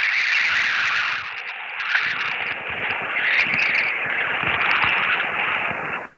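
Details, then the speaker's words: HF radio receiver picking up a harsh, buzzy rasp with fast crackle, steady until it cuts out. This is digital noise from a nearby device containing a microprocessor, which can reach about a block away. "I'll tell you where it's coming from it's coming from something that has a microprocessor in it and on high frequency sometimes those micro processor noises can go up to about a block away"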